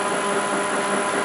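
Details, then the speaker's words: Land Rover LT230 transfer case with upgraded gears, rebuilt, oil-filled, spinning on the bench about 90 minutes: steady high gear whine with faint chatter at speed; one shaft is always noisy, cause unknown. "But this piece of shaft is always noisy. I don't know why."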